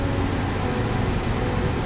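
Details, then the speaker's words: Airbus A330 engine run-up on the ground after storage, heard from cockpit: steady deep roar with an even rushing rise, no surging or popping; engine starting normally with stable EGT. "you can hear the background the engine is starting the EGT is stable exactly"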